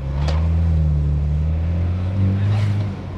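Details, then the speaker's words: 2012 BMW F30 328i N20 turbo after turbo rebuild (boost leak, wastegate rattle), new oil seals, engine and gearbox mounts, oil service: smooth steady drone while driving, previous turbo noise gone, fewer vibrations; normal. "bro do you notice that the sound that the turbo was making is gone yeah and the sound is a bit different"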